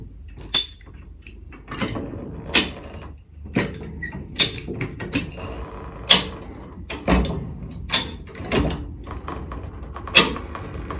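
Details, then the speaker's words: High-lift jack being worked on a Ford Ranger's bullbar shackles, making sharp metallic clicks about once a second as each notch climbs; normal ratchet clicking. "you're gonna hear the clicking noise every time it climbs up"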